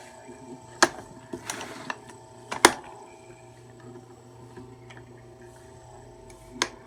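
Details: Marubishi CF 16DF electric fan, out of warranty, running with a steady, slightly tinny echoing buzz broken by sharp irregular rattling clacks; abnormal buzzing and rattling of unknown cause.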